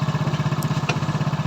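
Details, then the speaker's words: Hero Splendor Pro single-cylinder motorcycle after full engine rebuild, shifting from neutral through gears one to four; even thumping with no knocks or grinding, gears not hard and working perfectly; normal running in gear. "तो gear हमारा perfect यानी कि बहुत ही सही तरीके से gear काम कर रहा है, ना तो हमारा हार्ड लग रहा है और ना ही कुछ प्रॉब्लम है गियर के अंदर।"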